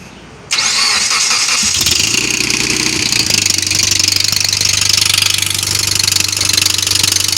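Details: Mitsubishi Evo X cold start: engine catches and settles into a cold idle with a steady knock about three times a second. The knock fades after about a minute, returns on throttle and stops after 5–10 minutes of driving. Intake and exhaust cam solenoids, timing chain, guides and tensioner were already replaced. Owner suspects cam sprockets, not confirmed.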